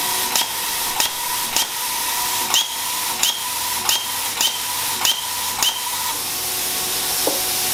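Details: New plasma cutter on a weak garage outlet sharing a line with 15 other circuits; steady air hiss with crackling bursts about every half second, never settling into a steady arc. Owner suspects inadequate power: arc not sustaining.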